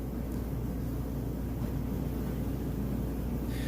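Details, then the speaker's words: Kenmore electric dryer running a heat test (95 to 195 degrees depending on setting): steady even low hum with soft tumbling, no thumping or bumping; heating well and running smoothly. "so you can see that that is heating perfectly that it sounds great nice smooth operation no thumping or bumping or anything like that"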